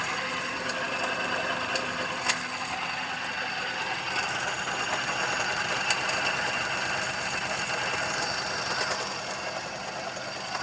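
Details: 2012 Suzuki Celerio engine: quick, light metallic tapping about three or four a second over a quiet idle; abnormal engine tapping noise, cause unknown.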